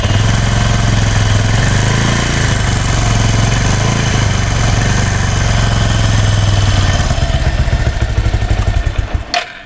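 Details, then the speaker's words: Bajaj Discover 135 DTS-i single-cylinder bike idling with busy, uneven mechanical chatter over the low thump, then shut off; noise persists after a new timing chain auto-tensioner was fitted, chain not tensioning properly; timing chain rattle, chain to be replaced. "Bajaj discover 135 এই বাইকের engine bad noise হচ্ছে, যা timing chain auto আমরা নতুন লাগিয়ে দিয়েছি, এতেও কিন্তু সাউন্ড অ্যাকুরেট হচ্ছে না বা টাইমিং চেন অ্যাকুরেটভাবে টাইট হচ্ছে না।"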